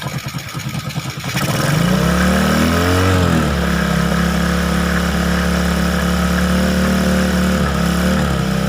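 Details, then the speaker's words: Honda XRM 125 single-cylinder after CNC rebore, first start with oil-flow check: catches, revs, then settles to a steady even low idle, very quiet, no knocks or rattles; oil smoke from exhaust expected to burn off. "So, ayan, umandar na. Napakatahimik. So, yung una, ayan, pag tinakpan mo na to, tapos dito, air cleaner, ito, grater, tahimik na yan."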